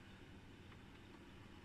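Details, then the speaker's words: Ebac 660 dehumidifier after fitting a brand new fan motor: quiet, even low hum with steady airflow, no ticks or rubbing; normal fan running. "And you can hear the fan, sounds very healthy."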